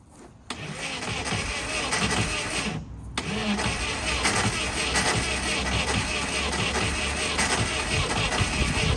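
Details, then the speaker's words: 80s kit supercar Nova, engine freed after being seized and sitting 25-30 years in a forest, cleaned carburettors, first start: fires, stumbles once, then runs steady and even with no knocks or misses. "Good. Sounded perfect."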